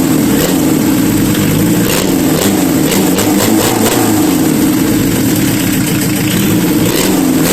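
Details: Renault Kangoo 1.9 diesel started after engine repair; catches and settles to a steady even idle with a few clean revs rising and falling smoothly; normal running.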